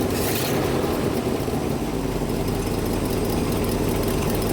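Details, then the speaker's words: Ford F-600 dump truck after fitting an electronic ignition: it starts immediately and holds a steady, smooth, low idle with no misses. Exhaust that previously dumped smoke now runs clear; the idle may need turning up slightly. "Yeah, that sounds good. Smooth. Sounds healthy."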